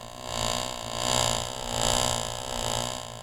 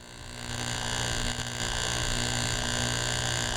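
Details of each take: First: Driveline model driven by a constant-speed electric motor, yokes set 90° out of phase: a card held on the second shaft's sprocket swells and fades in pitch twice per revolution as the shaft speeds up and slows down. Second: Driveline demonstration model: a card held to the sprocket on the first shaft, driven directly by a constant-speed electric motor, gives an even, steady buzz whose pitch never wavers, indicating constant shaft speed.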